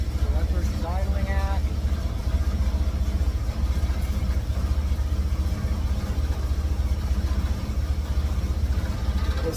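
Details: 1954 GMC COE with GM 4.3L Vortec, cold start on new spark plugs while setting timing: idle with lumpy, uneven beats, a few per second, no steady rhythm; ignition timing set too far advanced.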